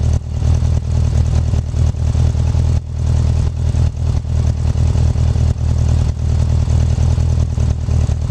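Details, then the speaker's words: 1984 Honda Goldwing 1200 flat-four after swapping the OEM fuel pump for a 1985 Honda Prelude pump: deep, steady, even rumble running normally; slight vibration at the pump's end. "But other than that, you can hear it's running just like it's supposed to be."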